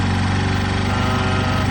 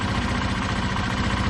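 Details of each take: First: Warmed-up 2005 Honda Lead SCV100 CVT scooter idling with a fast, busy, steady buzz and no dip; idle speed is too high and is being turned down at the carburettor idle screw. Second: 2005 Honda Lead SCV100 scooter, fully warmed up, after lowering idle speed at the carburettor idle screw: steady, even low putter with no hunting or surging, and the CVT clutch no longer catches to drive the rear wheel. Normal idle.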